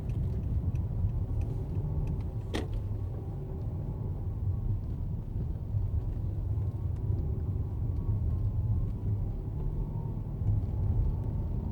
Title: Road test drive in 2015 Mercedes S600 with whining noise between idle and 2000 rpm